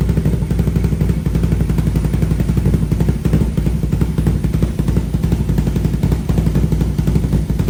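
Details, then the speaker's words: 500cc single-cylinder mini bike with new full stainless exhaust and high-flow muffler, baffle refitted after it vibrated loose: quick steady idle, loud low exhaust pulses, no rattle or buzz; exhaust sounds much better. "yep it's actually fired up again see how it sounds new [Music] ble sounds way better"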